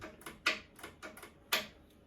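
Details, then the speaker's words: Ariens 1336 Pro snowblower electric chute motor clicking but not turning; sharp dry ticks, about six in two seconds, no spin-up or hum; power and ground later confirmed good with test light, motor suspected stuck. "I hear the motor giving a little tick tick, so I'm 99% sure, but let's just start with the basics."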